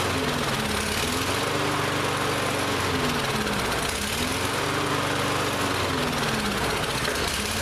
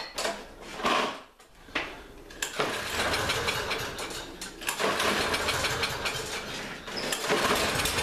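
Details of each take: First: Lawn-Boy mower that would not start this season, after priming to pull fuel through, now runs but speed surges up and down every few seconds; carburetor still partly gummed up, carb cleaner to be sprayed in. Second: Lawn-Boy mower that ran fine last season but wouldn't start this season, after spraying carb cleaner into the intake with air filter off: a few rough start attempts, then it catches and holds a steady, even buzz; now running normally.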